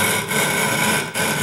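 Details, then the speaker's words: Wet hogging of a 12.5-inch telescope mirror blank toward about 0.156-inch depth with a sub-diameter tool on a spin/fixed-post grinding machine: a loud, coarse, gritty rasp with brief dips as the tool passes. The grit is cutting properly, a normal grinding noise. "so carefully put it on there and you're going to hear it grind instantly nice loud grinding grinding noise is"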